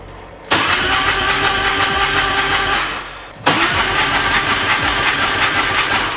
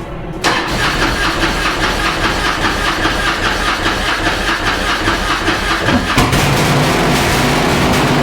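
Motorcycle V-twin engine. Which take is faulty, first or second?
second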